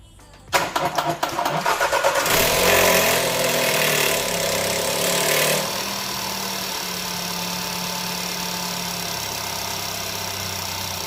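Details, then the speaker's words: Audi A3 Cabrio 1.2 TFSI (CBZ engine), fully cold start after sitting several hours: engine cranks and catches with a loud, harsh metallic timing chain rattle for a few seconds before settling to idle; chain replacement follows. "także Słyszeliście bardzo dobrze jakich dochodzi hałas rozrządu No nie ma się co dziwić No takie są te silniki"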